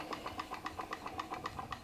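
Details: PM Research glass Stirling engine (Solar Engine #7) with the Baker fan load lifted off: light even ticking about seven to eight beats a second, spinning freely and healthy; normal running, unloaded.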